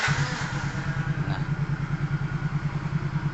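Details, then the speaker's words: 2014 Yamaha Mio GT scooter, complaints of smoking and stalling, weak compression and carbon-fouled combustion chamber: after service, steady even single-cylinder putter about three beats a second, no error codes or exhaust smoke; normal idle. "ini tidak ada gipan miling apapun berarti kondisi sensor dan aktuatornya normal dari segi suara ini suara yang dihasilkan tentunya ya ini masih sama dengan posisi Yamaha Mio GT ya tentunya yang memang suaranya seperti ini"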